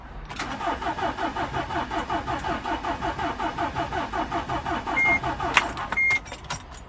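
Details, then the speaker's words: 2009 Mercedes Sprinter 313 CDI diesel, long-standing hard start: steady cranking about two beats per second for several seconds without catching before it eventually starts. "Doesn't start very well. It will start eventually, but yeah, a problem with that."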